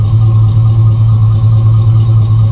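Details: Chevrolet Avalanche V8 heard at the rear tailpipe: steady deep even idle rumble, no ticks, rattles or blowing; healthy throaty exhaust.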